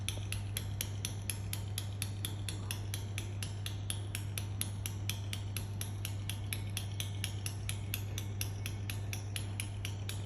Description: While waiting for a train at Doncaster railway station I heard this odd clicking sound Like its tutting coming from a train.